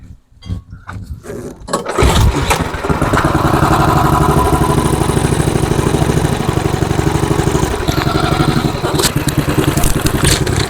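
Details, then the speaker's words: MTD Snowflight two-stage snowblower, Tecumseh 8 hp Snow-King engine with old fuel, before carburetor cleaning: fires on a shot of brake cleaner, a few pops then a rough, uneven run only while fed spray. Runs only on starting spray, not getting its own fuel. "Okay, she fired. Let's try that again. Give it a good shot of brake clean that time."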